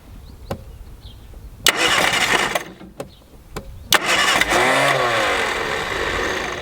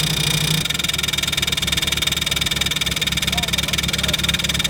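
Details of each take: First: 1967 Austin Mini Moke (MK1), engine recently freed after being seized and not run for years; carbureted engine cranks in two long spells with steady starter churning but never fires, despite spark, likely no fuel reaching the carb. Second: MK1 Mini Moke, engine seized from sitting and freed with a wrench on the crank, first start: an even chugging idle at about four beats a second with a steady rhythm and no knocks or misses; normal running.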